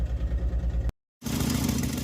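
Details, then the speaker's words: Jeep engine idling with check engine light on, flashing under throttle: lumpy stumbling shake several times a second, sounds like exhaust leak but a dead cylinder misfire; eventually traced to a fried PCM after other fixes failed. "Here's the engine doing the shimmy and the shake. Sounds like an exhaust leak, but I think it's just a dead cylinder."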